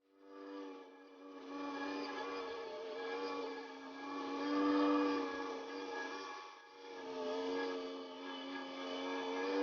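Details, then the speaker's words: Aldi Workzone 350 W entry-level bandsaw (Scheppach HBS20 based) ripping rounded edges off a 1.5 m 2x4: motor hum sags mid-cut and recovers, the motor straining while the blade touches the rear guide bushes. Owner suspects a blunt blade or an underpowered motor. "You can hear that the motor is actually straining a lot, and the blade was also touching the rear guide bushes."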